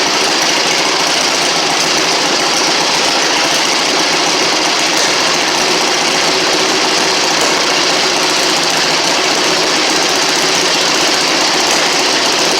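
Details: 1960 Harley Sportster Ironhead V-twin, sat since 2010, after magneto/points check, carb cleaned, fresh fuel, timing and points set: steady even idle with busy, hissy top end, no misses or knocks; normal running.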